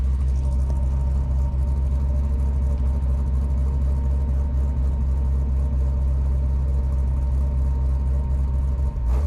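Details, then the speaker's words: Fresh 370 LS V8 in a Chevelle, first run, cold before thermostat opens, cutouts closed, light revs under 3,000 rpm for break-in: deep even rumble, no knocks or misses; possible faint exhaust tick; healthy. "Sounds great. I'm only going up to a little under 3,000 just because it's a fresh motor, so don't want to be too hard on it before we get it totally broken in."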